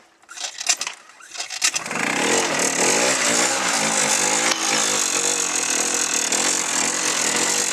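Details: Small single-cylinder machine with a new stator fitted after being submerged in about a foot of water and mud. A few sputtering tries, then it catches and holds a buzzy, even idle with some blips; a normal cold start.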